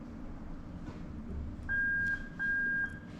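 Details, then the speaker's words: Lexus SC430 2005–2010 3UZ-FE VVT-i harness adapted plug-and-play to an IS200 LHD with a J160 manual gearbox: the reverse circuit is bridged, giving two clear mid-pitched half-second beeps from the reverse buzzer; the circuit works. "there you go and you can hear the little buzz let me do it again you can hear the buzz that's in reverse so we know that's all okay"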